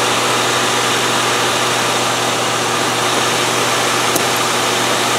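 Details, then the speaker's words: 1997 Land Rover Discovery 1 that would not start on the key, after a wiring repair: starts and settles into smooth, even idle, no misses or knocks. "so let's see if it starts it's not often i'm wrong but this time i'm right that was its problem"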